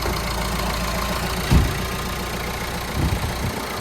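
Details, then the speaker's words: Citroen Berlingo diesel, first start after a timing belt, water pump and drive belt change with fresh coolant: low, even clatter settling into a steady idle with no knocking or hunting; normal idle. "It starts"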